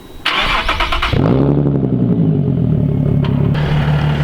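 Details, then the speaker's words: Nissan 370Z Nismo at idle after fitting a Clutch Masters FX400 clutch, lightweight flywheel and upgraded CSC: a light, fast chattering rattle under the idle, typical lightweight flywheel gear chatter. "you hear that chattering that's what happens when you get a lightweight flywheel"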